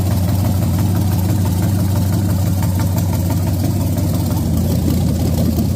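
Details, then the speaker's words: Freshly built junkyard SBC 350 for 1984 Camaro, hydraulic flat tappet mystery cam, Vortec heads, GM Performance intake, first run on engine stand: steady even idle, deep low rumble, no knocks or ticks; sounds healthy. "Heck yeah. It fired right up. Hopefully it has oil pressure. It runs."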